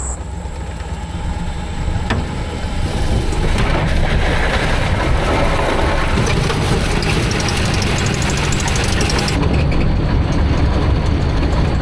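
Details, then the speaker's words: Homemade inline three-cylinder diesel swapped into a Baja Beetle: rough clattering run with loose rapid slapping as revs build; squeaks and play in the coupler. "You hear all those noises? >> So many squeaks and everything else. >> Yeah. >> It's like I've never heard that noise come out of a car before."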